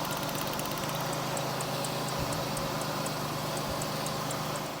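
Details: Steady, even idle hum with no stumble or skipped beats on a GM 3800 V6 (Pontiac) after P0300 misfire fix; all cylinders confirmed sparking and firing cleanly.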